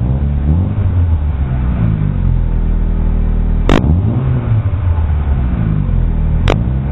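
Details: Chevrolet Aveo with a fart-can aftermarket muffler and an exhaust leak: deep, boomy drone rising and falling with revs, loud and raspy at the tailpipe.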